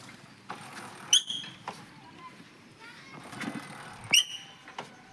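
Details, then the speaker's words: Splendor Plus BS6 motorcycle, rear drum brake applied while riding: two short high-pitched squeals; brake shoes became slick (glazed) after getting wet, causing the noise. "तो दोस्तों इसका problem इसके brake shoe से है क्योंकि दोस्तों पानी पड़ने पर इसका ब्रेक शू चिकना हो जाता है और दोस्तों हम लोग ब्रेक मारते हैं तो इसका ब्रेक बहुत आवाज करने लग जाता है।"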